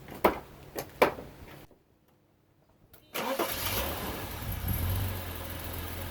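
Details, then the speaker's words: Bitter SC (SC 377), Bosch L-Jetronic, with the temperature sensor reconnected and the engine having already run once. A couple of clicks, a short pause, then it catches almost at once into a steady idle without long cranking; the owner notes it starts normally once it has run. "now my impression is that when the car has run once it will start normally without any cranking and multiple frames"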